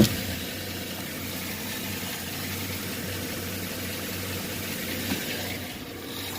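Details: 2009 Chevy Silverado 5.3 LS V8, engine rebuilt at another shop, idling: light quick ticking from a failing lifter on the driver's side, head to be removed and lifters replaced.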